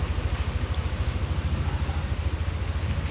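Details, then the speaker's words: Yamaha NMAX V2 scooter, fully reassembled after engine repair from neglected oil (previously rattly): low, even idle with a soft steady pulse, no knocks, ticks or rattles; only the phone holder rattles; quiet, healthy. "Start natin. Ayun oh. Tahimik na tahimik. Maingay lang yung cellphone holder."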